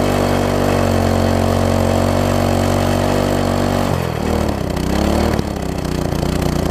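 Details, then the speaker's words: MTD front-tine tiller engine screams at steady high speed without settling to idle, load changes after four seconds; throttle seemingly locked fast, spring loosened, binding throttle linkage misconnected at the carb, later fixed by reconnecting and adjusting. "really fast right so I almost like it's locked in there I don't think it's supposed to be like that like almost like the throttles walked into the fast position"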